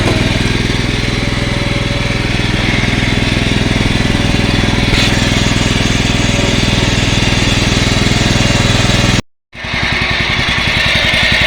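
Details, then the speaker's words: Yard-Man 15 hp riding mower with 42-inch deck, revived after sitting outdoors, just started on choke: single-cylinder idle steady and even at about 3.5 beats a second, no misses or hunting. Normal idle after repairs. "that is awesome listen that thing idle that is sweet music to my ears"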